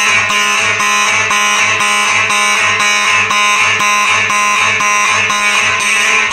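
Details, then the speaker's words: Simplex 4004 panel set to march time, Simplex electromechanical horns activated: horns pulsing about twice a second in a steady beat, loud and even with no dropouts; normal march-time signalling. "i'll tell you what that sounds pretty good on march time second thing with these electric mechanical horns you know every time you have these on march time they sound pretty good yeah it's kind of a beat to it"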